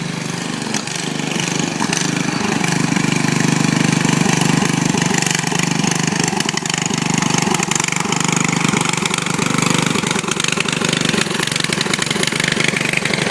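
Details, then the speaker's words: 14.5 hp riding mower, started by jumping the solenoid with choke; the motor and clutch work: harsh, loud, crackly single-cylinder bark at a steady fast idle. The exhaust is raw and unmuffled because the muffler is loose and needs fixing. "And I also got to fix the muffler because the muffler is really loud."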